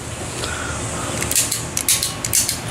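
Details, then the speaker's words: 1980 El Camino, new steering-column headlight dimmer switch pressed by hand: several crisp, distinct clicks, unlike the burnt old switch that didn't click; normal operation. "That's what it's supposed to do. Clicky clicky."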